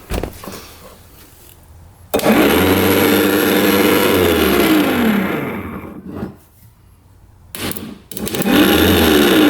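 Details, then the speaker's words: 1989 Yamaha Big Bear 350 4x4 ATV, starter reassembled after cleaning: slow sagging whir dropping in pitch and fading; tapping it helps; weak starter motor, brushes not making good enough contact. "see how you tap it and it works see that look like it has to get going so yeah those brushes aren't making good enough contact to keep that thing going"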